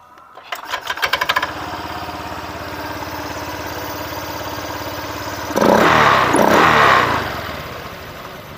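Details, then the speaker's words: Honda Vario injection scooter with rough growling from the CVT area: after replacing the rear pulley bearing it now runs smooth and even with one short rev and no growl. The rear pulley bearing was the cause. "kita putar ya bentar nah halus ya halus tak berhasil tak bersuara Oke jadi kendalanya adalah pada laher puli belakang ya Bro ya"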